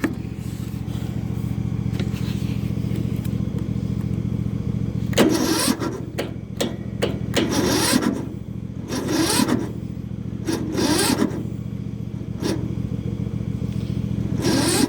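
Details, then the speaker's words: Yard Machines small engine on a cold, frosty morning (about 33 degrees), choked. The starter drags the engine over slowly in labored bursts, stopping and retrying without catching. It ran fine yesterday but won't start after sitting overnight; owner suspects a weak battery, not confirmed. "If it sits all night, it won't start."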